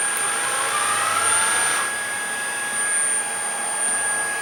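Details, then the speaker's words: Shark ICZ362H Vertex vacuum, steady high whine; brush roll spins up barely a second then drops out, pulling the wire from the handle makes it run, intermittent power from a broken wire, suspected short. "so feels like there's a short somewhere there's some wires that run from the handle down through here and come out over here"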